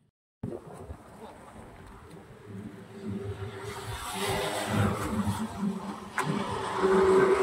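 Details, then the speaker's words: Scooter on long Bangalore–Gutti highway trips, belt suspected snapped; starts and pulls away with rough tractor-like rumble and uneven knock under load; owner likens it to a tractor; worn variator rollers. "నాకేమో ఈ sound ఎలా వినిపిస్తుందంటే ఏదో tractor sound వస్తుంది కదా అలా వినిపిస్తుంది same అలానే"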